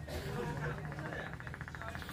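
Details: China CRT TV kit with a series supply connected: the speaker gives a low bubbling gurgle and the set won't start, due to a power-supply output voltage short.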